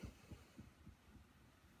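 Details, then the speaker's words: 1975 Fender Super Reverb amp (silverface converted to blackface), tremolo at maximum speed after a capacitor was installed: soft low hum throbbing evenly about three times a second with no clicks, so the tremolo ticking is gone and it operates normally. "rectifier has warmed up filaments are receiving Karen no ticks nothing"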